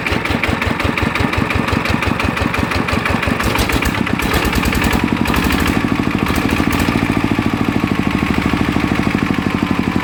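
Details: Customer's Chao Phalang single-cylinder diesel after replacing several noisy timing gears (two idler gears and the cam gear were kept); regular, even idle thump with no gear clatter, running properly and much quieter than before.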